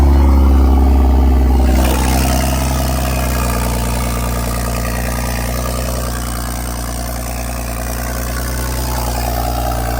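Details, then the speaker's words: BMW F10 535i N55 with a DIY big single-turbo kit, first startup after fixing an oil leak: engine catches and settles into a steady, deep, even idle in eco mode with no misses or knocks; runs healthy. "So, here you go with the first startup. Right now we're just um idling right now because I got it in uh regular eco mode."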